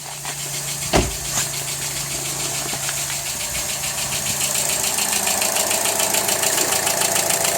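An idling car engine with a steady, fairly regular knock of roughly two beats a second.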